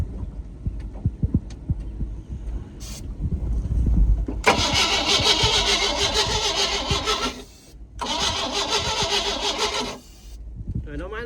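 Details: 1988 Sea Ray boat engine, no fuel seen spraying and carburetor cleaner being added. Two long bursts of fast, even starter cranking of about three seconds each, and it never fires or catches: crank, no start. Cause suspected, not confirmed.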